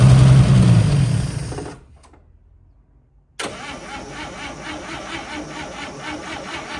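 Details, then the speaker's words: 1955 Chevy parked for about 40 years, first start attempt with fuel rigged up and primed: the starter cranks at about four beats a second, then drops off without the engine catching; the fuel pump is not pumping. "I hear the fuel pump is fuel pumps not pumping that's a shame"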